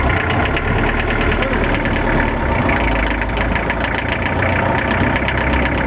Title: Barulho no Motor ASIA TOPIC